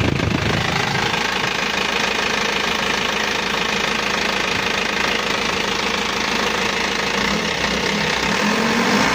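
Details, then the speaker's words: Isuzu Elf NLR 55 diesel after crankshaft replacement (broke within a year of overhaul), morning cold start: steady, even idle clatter with constant rhythm and no knocks or misses, oil pressure up, faint smoke; normal idle. "suara nya udah anteng empuk halus dan normal ya Lur"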